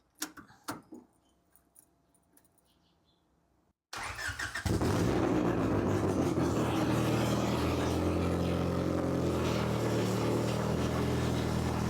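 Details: Honda H22 swapped into a Civic on a FuelTech FT450 ECU, restarted after its first start with no exhaust: a few clicks, then it catches and settles into a loud, steady, even idle. Runs clean, just unmuffled; idle to be adjusted later.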